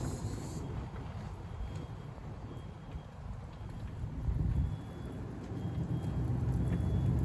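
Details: C5 Corvette Z06 V8 with upgraded exhaust idling then revved: deep rumbling idle, steady low pulse rising with each blip, some wind over the mic; more sports-car sound but not too loud. Normal, healthy idle and revs.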